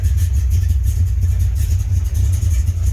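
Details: 1980 Corvette C3 first start in 2 years, after heater core change and battery charge, run a few minutes: deep, steady V8 burble at idle, even beat, no misses or knocks; normal idle.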